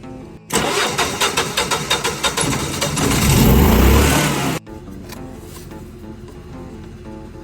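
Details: Generac generator with flashing red indicator lights: starter drags at about three slow turns per second for two seconds before the engine catches and revs; slow crank from an old, swollen weak battery.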